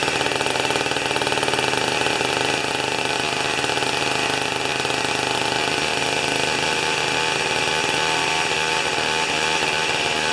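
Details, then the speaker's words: Old two-stroke snow thrower that sat for years, 40:1 mix, after carburetor mixture adjustment, door open: small two-stroke revving high and crisp with a buzzy dirt-bike-like crackle, steady and even; normal running. "kind of sounds like a little dirt bike isn't it"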